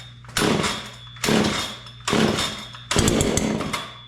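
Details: John Deere CS40 chainsaw after a replacement chain oiler was installed: four throttle blips about a second apart, each rising then sagging back to low idle. It idles fine but bogs on throttle and runs good at high RPM. Owner suspects the high-speed carburetor adjustment.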